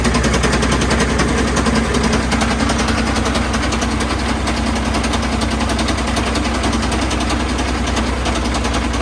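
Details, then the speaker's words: Old Caterpillar 977L diesel track loader, slated for scrap, started on lots of ether: ragged, uneven running with rapid gunshot-like pops several times a second. Heavy backfiring that sounds ready to come apart, though oil pressure is good. "you want backfire man it just sounds like it's going to come apart"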